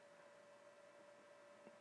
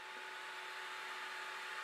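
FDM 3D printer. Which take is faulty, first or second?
second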